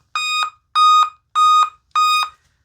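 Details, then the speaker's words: 2016 Dell Inspiron 15 3000 series laptop, unused for two years, giving five loud, evenly spaced startup beeps that repeat until Windows loads; a dead CMOS battery is suspected. "Okay. So, it does five loud beeps. It repeats and then as soon as Windows starts up, uh the Windows volume takes over and then it gets reduced."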